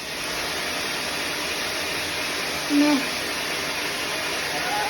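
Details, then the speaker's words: 20–30-year-old Premier 556 pool pump after a bearing replacement that fixed a train-like noise, seal still dripping: steady, even water whoosh over a smooth motor hum with no grinding or bearing growl; about 90% improvement, normal running. "90% improvement."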